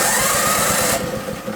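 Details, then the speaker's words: Toro 524 snowblower with new electric starter, plugged in with engine switched off: about a second of quick, even whirring pulses as the starter spins the engine over; engages cleanly without tripping the breaker. "let's see if that starter kicks in and engages. Sounds good. It's not throwing the breaker,"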